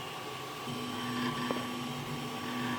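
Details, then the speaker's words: Zortrax M200 3D printer with 3505 print hours, printing: a steady hum with a faint continuous rattle and one sharp tick. The owner suspects internal bearings; it does not affect print quality. "So now you can kind of hear that rattling noise consistently. I mean, I think maybe it's these bearings inside here."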